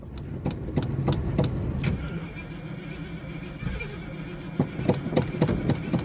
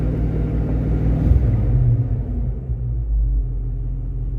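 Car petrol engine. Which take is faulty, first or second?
first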